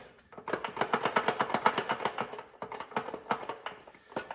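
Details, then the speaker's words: 1969 Chevy C30 1-ton gearbox turning in neutral: light, uneven ticking/rattling about three per second. Owner suspects side play on the throwout bearing shaft or the gears, possibly from very low fluid; unconfirmed. "What's weird though is when it's on the shaft, you can kind of hear it. So if that's spinning fast, maybe that could be causing a noise."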